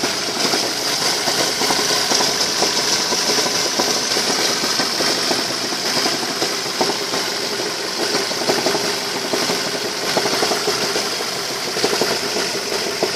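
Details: Ford Focus 2, 2.0 L 145 hp 16V Duratec: rough idle with strong irregular drumming tap over the engine note, about half a beat per second; engine knock at idle of unknown origin.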